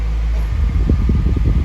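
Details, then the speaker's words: 1991 Honda Prelude after an AC compressor seal replacement, being recharged on recirculate: steady blower rush over a smooth engine hum with the compressor engaged and cabin already near 60 degrees; no knocking or squealing, working normally. "Compressor kicked on already. Got it on recirculate."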